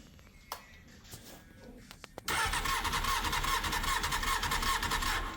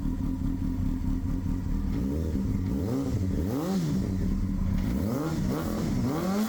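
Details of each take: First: 1999 Honda Hornet 600, a recovered stolen bike fitted with an aftermarket ignition barrel, cranks with a steady starter churn but never fires. There is no spark because the anti-hotwire pink wire needs a dropped voltage, later fixed with a zener diode and resistor. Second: 1999 Honda Hornet 600, first run after a zener diode and resistor were wired into the anti-hotwire pink wire to fix a no-spark fault; gravity petcock feed, manual choke. Smooth idle with clean throttle blips, no backfiring, popping or knocking; running healthy.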